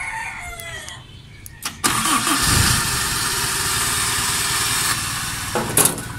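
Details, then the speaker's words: Owner-type jeep started on the 12-volt battery taken from a no-start Mitsubishi Lancer: brief crank, then it catches within a second into a steady, even idle. The battery is fine, so the Lancer's fault points to its starter. "So nakita niyo nag-start yung ating sasakyan yung owner natin gamit yung battery na ginagamit ko kanina do sa kotse"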